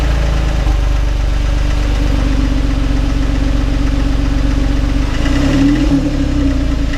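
Steady idle with a loose, uneven knock riding on the low engine note, about four a second; source not pinned down.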